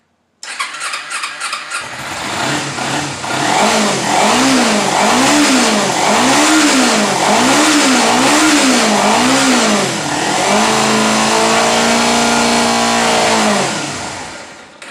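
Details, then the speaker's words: 2011 Kawasaki Ninja 250 on a charged battery: cranks and catches on choke, revs rise and fall about once a second, then dies as soon as the choke is turned off; carburetors judged to need cleaning. "soon as you turn the choke off it it dies"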